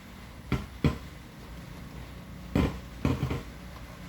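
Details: UMAK-1518BT (OM 151) Bluetooth amplifier at minimum volume with input removed: hiss with sharp, irregular crackling pops traced to the left channel. Resistors and a rusted terminal were already replaced without cure; the preamp is the next suspect.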